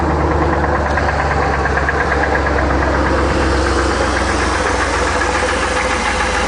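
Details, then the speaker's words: Isuzu NPR gasoline 16ft box truck, automatic, idling: heavy rumble with an even, fast knocking beat; engine knock needing motor repair, exact source not identified. "overall this is a nice truck all the way around but one big problem the motor the motor has a knock in it and needs a repair"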